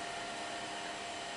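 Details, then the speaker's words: Amiga 2000 power supply fan after PSU clean, fan spun the wrong way around; smooth steady airy whoosh with faint even hum, no rattle or ticking, fan healthy with good airflow. "so I'm gonna spin the fan over here just the wrong way around it's got quite a nice bit of air movement in there I can feel it"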